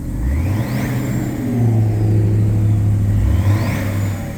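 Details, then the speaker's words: 2010 BMW 335d diesel, about 168 mileage, tuned with emissions devices removed, during a cold start. Two smooth revs, the deep rumble climbing and falling cleanly with each blip; revs freely and sounds healthy. "R okay give it a little revs [Music] that sounds pretty good"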